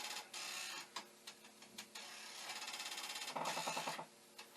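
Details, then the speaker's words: Commodore 1541 disk drive for the C64, trying to load a directory after the speed adjustment was tweaked: quiet whirring broken by bursts of sharp ticks about three per second as the head bangs its stop; the owner suspects a fault underneath the drive. "but now it's not really trying so i don't think anything i've done here has made a damn bit of difference i did just for a moment there tweaked the speed and if the drive wasn't doing its head banging you might have been able to hear it"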